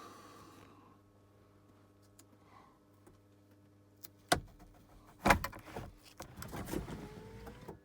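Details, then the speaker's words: Ferrari F355 Spider lowering roof, engine off: short window motor whirs and clunks as the windows drop a little and stop as designed; motors run smoothly, no strain or grinding; normal operation. "saw the windows drop okay so the windows only dropped this much if I try to move the windows any further at this point they will not move"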